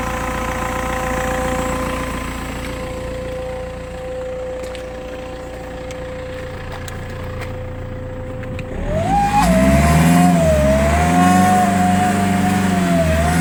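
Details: BMW E90 M Sport at 94k miles after a sudden loss of power while driving: steady high whistle at idle, then a whine rising and falling with revs, plus exhaust smoke; owner suspects turbo failure.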